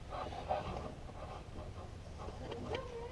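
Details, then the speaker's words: 2005 Ford Ranger idler pulley spun by hand during serpentine belt install: wavering chirpy squeal rising and falling where it should be silent; bad bearing. "that didn't sound good that's got a bad bearing in it so this idler pulley has got a bad bearing in it maybe I'll go to the store and buy a new one"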